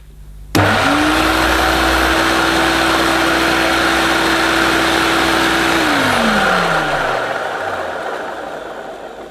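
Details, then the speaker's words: Vintage 1971–74 Hoover Dial-A-Matic 1149 upright vacuum, imported US model: motor spins up to a steady even hum, holds cleanly, then winds down smoothly; motor sounds healthy. "yes well perhaps it is supposed to sound like that certainly the motor seems fine to me to my ears"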